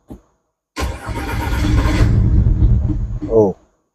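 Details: 2011 Audi Q5 with a CDNC engine, towed in, codes P0301 and P0302: the engine fires up rough and lumpy with a severe misfire, stumbling unevenly for a couple of seconds before stalling; oil level is okay.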